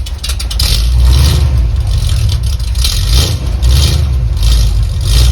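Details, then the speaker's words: 1976 Ford Highboy truck V8, first start after new homemade MIG-welded exhaust fitted: deep, even rumble with smooth throttle blips and quiet exhaust, no ticks or knocks; normal idle. "Battery fired up for the first time. Hear what it sounds like. Oh, it's so quiet."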